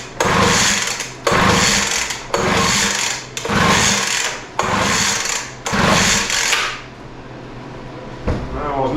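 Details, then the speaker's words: Poulan Pro 200 mph blower that doesn't run, in a start-on-spray test with throttle open, choke set and carb cleaner sprayed in; six quick pull-cord rasps, never catching, a cranking no-start. "looking good so far cuz it sure didn't start we're going to spray a little more in there"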